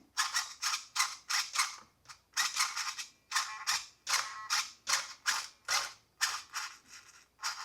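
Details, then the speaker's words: Traxxas 1/16 Mini E-Revo VXL steering servo damaged in a big skatepark crash: short harsh high buzzing grinds about once a second each time steering is moved; servo gears grinding and sticking, later replaced with metal-gear 2080R servo. "it doesn't sound good all right so it's definitely getting stuck"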